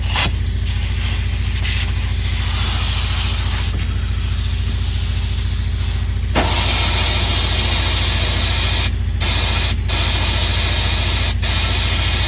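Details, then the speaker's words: 1972 GMC Jimmy sat over 20 years, fuel line plugged, blown out with compressed air. Loud steady rush of air over a low drone, flowing freely without sputter; line now clear. "As you can hear, that definitely cleared it."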